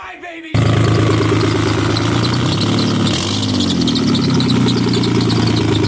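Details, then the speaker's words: Nissan 300Z that previously had no spark, first start after turning the cam angle sensor 180° (broken camshaft key had it 180 out), running without exhaust: catches instantly and settles into a loud, steady, even idle with no misfire or knock. Normal running. "Sounds healthy. Are you happy? It's loud though."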